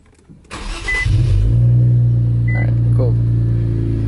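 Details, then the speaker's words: Infiniti Q50 after installing an AMS fuel pump, running E30, second start: short crank catches quickly and settles into a smooth, steady idle with a few dash chimes; fuel pump heard, back to normal. "okay you heard the fuel pump oh yeah back to normal so see all good to go"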